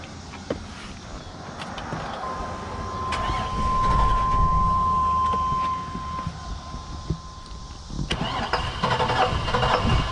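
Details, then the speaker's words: OBS Chevy Suburban with LS swap, on first test drive after refuelling and a huge exhaust backfire: uneven cranking with loose metallic rattling and a steady chime, won't catch; owner suspects something inside the engine let loose. "I don't know if you can hear that, but I think something inside the engine let loose."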